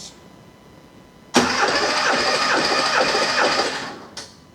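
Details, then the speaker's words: 1978 Porsche 911 SC flat-six, rebuilt with cams and 10.5:1 pistons, cranking compression test on cylinder 6: even chuff, every stroke matching; reads 150 psi versus 140–142 elsewhere, within spec though owner expected nearer 160. "150. interesting 140 142 150. it's not out of spec but I don't understand that"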